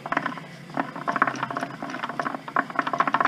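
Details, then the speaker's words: SM465 truck transmission on the bench, top off, turned by hand in first (about 6.92:1, unsynchronized): rough, uneven clattering and ratcheting, loud over a quiet background; owner sometimes ground first, gear edges chewed and glitter in the bottom. "I could see that being a little noisy because sometimes I grind first, it's not synchroed."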